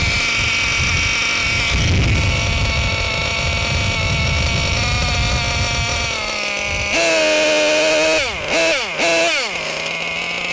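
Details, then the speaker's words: Losi LST XXL 2 gasoline (not nitro) monster truck engine, small two-stroke idling before break-in: buzzy idle steps down in pitch and settles lower as the low-speed (bottom) needle is richened; climate or elevation can shift idle; back off needle if idle too high. "So, as you can see, when I rich in the bottom needle, the eye will drop. So, if you go and start your break-in process and you note that the idle on your truck, it might just be because your climate changes or your elevation."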